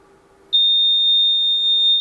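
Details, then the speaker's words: Challenger 2 ultralight (Rotax 503) homebuilt annunciator: shrill steady piezo sounder tone latches on after a momentary EFIS alarm trigger and stays until acknowledged with the master button; annunciator alarm tone, EFIS alarm triggered. "That was a momentary trigger. It's still showing me that the EFIS went into alarm, and when I hit the master, it extinguishes, tells me, oh, okay, it went in and out."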